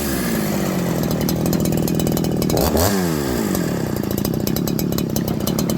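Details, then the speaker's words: Farmertec 288 kit chainsaw, warm, low and high jets at 1.5, idle screws in, started on choke: screams at high revs then sags and climbs. Surging idle that won't settle; massive air leak suspected. "It was idling, it started racing, going down, racing, going down. Then it wouldn't idle."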